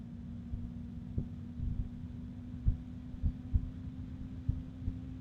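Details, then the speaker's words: Enermax LiqMax III ELC-LMT360-W-ARGB 360mm AIO fan at maximum speed, not yet on the radiator: steady low hum with irregular deep thumps about once a second; fan vibration rumble, not terribly loud. "now there's a bit of rumbliness from the fan as far as the vibrations. So it's not terribly loud. You'll hear it when it's at maximum speed in the case, but it's not bad."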